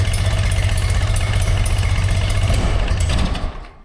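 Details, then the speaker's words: 1981 BMW R100RT air-cooled boxer, 29,000 km, sat long with 21-year-old oil and a sticking choke, idling: lumpy uneven stumbling thump that never settles; rough idle, fresh fuel and oil change planned, cause not found. "it's not running nicely. I think we're gonna give it some fresh fuel now."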